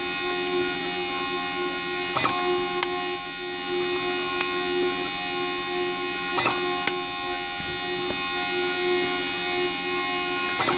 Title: Zebra Printer Sharp Squeaking Noise